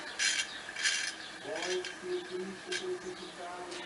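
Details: Ceiling fan coasting down after being switched off from medium and maximum speeds: uneven scraping rasp; opened up, a broken ball bearing was found.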